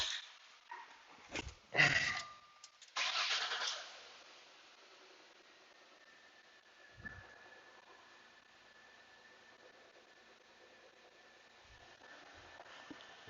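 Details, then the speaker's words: 2005 Jaguar X-Type after compressor, manifold and belt installation: starter cranks briefly, engine catches and settles to quiet steady idle with faint even whine; battery light out, charging about 15 V, slightly high. "all right she's running the alternator battery light is out which is a good sign"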